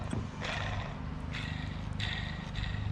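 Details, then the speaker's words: 2004 Honda Civic EM2 D17 water pump, removed after leaking, rusted and spun by hand: gritty, rasping bursts from loud, worn bearings. "this is how it looks it's all rusted and you can hear the bearings in there pretty loud"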